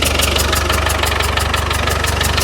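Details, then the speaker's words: 35-year-old Land Rover Defender 110 diesel, first run after fuel confirmed reaching engine; steady idle with sharp regular tapping over the clatter, unidentified knock; owner suspects head gasket, gas spitting and oil leaking at rear of engine, compressed air from underneath when cranking. "yeah can you hear that noise down here wao oh nice right now I don't know what that noise"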